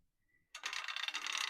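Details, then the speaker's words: Handi Quilter longarm frame, standard view, loading backing fabric: a fast, even run of light metallic ratchet clicks as the bar is wound with an added hand wheel; the ratchet is engaging normally in the correct direction. "Can you hear that clicking noise from the ratchet? That's your sign that you've got it going the correct direction."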